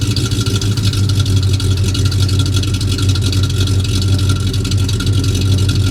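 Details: Ford F-250 running again after repair, steady low idle and revs with a fast, faint puffing tick over the exhaust; one remaining exhaust leak still to fix.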